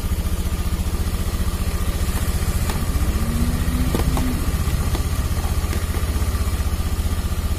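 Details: Honda Beat FI scooter, after the battery fault behind its unstable idle and weak fuel pump pressure was dealt with; charging stable at 14 V; steady idle thump holding its pace without hunting or knocks, healthy.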